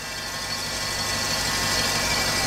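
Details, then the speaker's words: 1988 GM OBS truck with a junkyard 6.0 LS and 4L80E swap, at idle: a steady, high-pitched whine over the engine, which the owner suspects is a bad alternator bearing; a whining noise at idle. "i see it but this alternator like the bearing in the alternator is is messing up or is bad is out"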